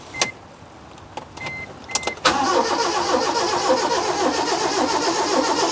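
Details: 2002 Proton Wira parked 12 years, start attempt: a few clicks, then steady cranking that never catches; no fuel pump buzz was heard.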